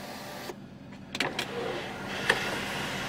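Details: Mercedes S63 AMG W221 sunroof after replacing the faulty one of two front motors (previously grinding and not closing): short, even electric motor hum with soft clicks, no grinding or chatter; normal sunroof operation.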